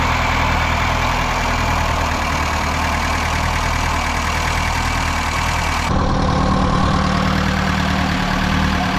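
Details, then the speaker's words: Long-sitting Datsun with a KA24E engine, just started after a fuel system overhaul and new fuel pump. Rough idle with a light, fast clicking from plunger-type lash adjusters in the rocker arms. "And well, you could hear some clicking going on. That's very common on these KA24E engines. They got these weird little plunger things on the rocker"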